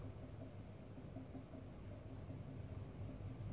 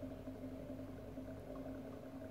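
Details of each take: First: 40 kW induction motor driven by a small 4 kW inverter at raised frequency with too little voltage; low, rough, uneven growl as the motor loses synchronism and slows, drawing more current. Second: 40 kW induction motor driven by a small 4 kW inverter. After losing sync, the voltage was raised until the motor picked up again, and it now runs stable at speed with a steady, firm, even low hum and no wavering or growl.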